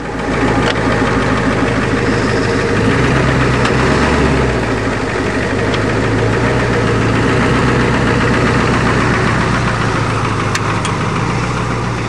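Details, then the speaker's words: Ford F-250 diesel, not started for a year, bump-started with a Dodge, after a test drive: loud steady diesel clatter with a deep even rumble at idle, no stumbling; motor runs fine. "Power steering works good. The brakes work good. The motor runs fine. What's wrong with it?"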